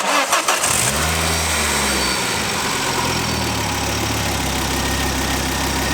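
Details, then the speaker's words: 2nd-gen Ford Focus ST idling after a known-good coil pack from a Focus RS was fitted: engine catches and settles into a smooth, even idle with no stumble or missing beat, sounding much better than before. "that is mild better Ash doesn't want to be on camera so so I won't put us on camera all right um but yeah that is Miles better"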